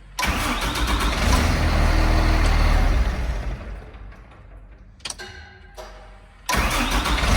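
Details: Capacity truck after intermittent no-start fixed by removing foreign pieces under terminals causing voltage drop: engine catches quickly, settles into deep, even idle, restarts cleanly; normal start.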